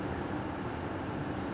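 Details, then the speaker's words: New Holland 310 baler, new replacement bearing assembly: steady rough growl while turning; owner suspects dry or poorly machined new bearings. "you can hear them growling a little bit like they don't have any grease or they're not machined right or something"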